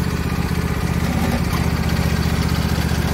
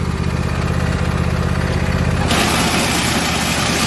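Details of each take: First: Husqvarna YTH22V46 lawn tractor that stopped moving, after removing a wood chunk wedged in the drive belt pulley: steady, even engine putter at constant speed with no knocks, squeals or grinding; drive quiet and healthy. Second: Husqvarna YTH22V46 lawn tractor; drive belt came off a pulley and tractor stopped moving; after refitting the belt, smooth idle for two seconds, then harsh irregular banging and rattle: belt slapping on debris jammed in pulley.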